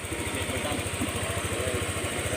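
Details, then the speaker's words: Honda Click 125 scooter at 160,000 km, after the connecting rod was replaced: a quiet, even single-cylinder idle with steady regular pulses and no knock or rattle. The engine sounds healthy after the repair. "นี่นะครับผมเงียบนะใครสนใจที่จะพาเครื่องนะเปลี่ยนก้าน"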